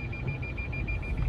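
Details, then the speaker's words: Lexus RX450h hybrid, flood car from US auction, reverse gear engaged: rapid steady high beeps, about nine a second, over low idle hum; rear parking sensors working and detecting an object; normal parking sensor warning. "Включаем заднюю передачу. Вот там что-то есть. Работают парктроники."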